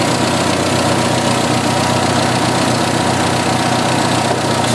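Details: 1986 Jeep XJ 2.5L four-cylinder idling with a steady hiss and slightly uneven beat, heard before repair; wrong valve cover fitted without proper crankcase ventilation caused vacuum leaks, engine running very lean with fuel trims way off; two leaks found, one fixed.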